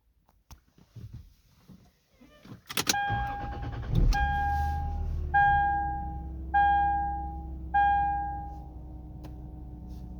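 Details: 2002 Lexus IS300 manual, cold start: steady mid-pitched whine at idle under warning chimes, most noticeable around idle; not apparently alternator, owner suspects oil pump, unconfirmed.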